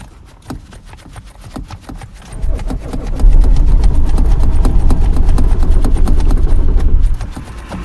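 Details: Cold winter morning at the roadside: starter grinds on with steady rhythmic churning at roughly three strokes a second, but the engine never catches or fires; extended cranking, no start.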